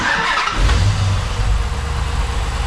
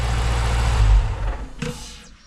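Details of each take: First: 2010 Dodge Challenger SRT8 V8, first start after a Volant cold air intake install: starter cranks, one sharp pop, then a steady lumpy idle; one-off start-up backfire, possibly from richer air, cause unconfirmed. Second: 2010 Dodge Challenger SRT8 5.7 L V8 just after a Volant cold air intake install: strong deep rev falls back cleanly to a steady low idle. A slight backfire came on the first start; now normal, smooth idle and revving.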